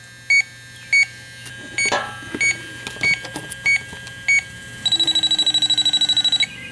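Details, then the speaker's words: 2005 Chrysler Town & Country, refrigerant leak detector on its highest setting at the patched 5/8" rear A/C suction line: spaced beeps, then a rapid steady chirp run, detecting only a very small trace leak; the patch is judged good. "Okay, there you can hear it. It's detecting something there on the highest setting. I'll put the audible beeping on."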